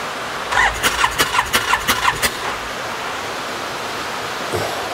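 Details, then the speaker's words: 2018 Odes 1000 X2 LT UTV that died and won't restart, cranking in rain: about ten quick cranking beats, nothing catches; no spark at the spark plug. "no spark at the spark plug let's take the rear spark plug out check it"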